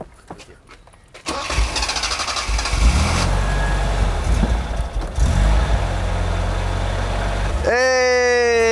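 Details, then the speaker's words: 1984 Isuzu Impulse barn find after fuel tank components, fuel pump and suspension work, first start on about a gallon of fuel: quiet cranking, then catches about a second in and settles into a steady, even, healthy run with no misses or knocks. "it sounds healthy really healthy yeah will it pass smog I don't know but it's running"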